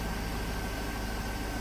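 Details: Vehicle started after a no-start in 10-degree Minnesota cold: short, steady low idle rumble, no knocks, misses or surges; engine settled and healthy.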